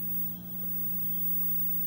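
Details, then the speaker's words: 1973 Admiral 12-inch hybrid tube/solid-state colour TV, mothballed ten years: constant low steady hum from the speaker growing louder as the set stays on, with a very red picture; hum source not yet found. "it's super red that hum is growing louder as it's on"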